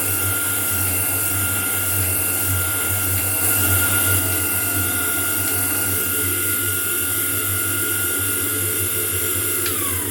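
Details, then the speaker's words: Homemade grinding attachment on a metal shaper, test grind with a dressed wheel on a shear tool: steady high wheel whine over a low motor hum, holding pitch through the pass, then spinning down. Grinding runs clean with a good finish. "And now we'll fire up the shaper and touch off and just take a foul across the top and see what it looks like."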